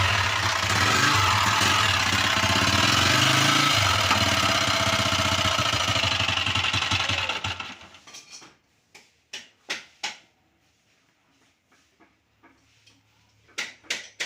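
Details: Motorcycle engine runs with a sharp regular tapping knock about four a second over idle, then shuts off; abnormal engine noise, source not identified.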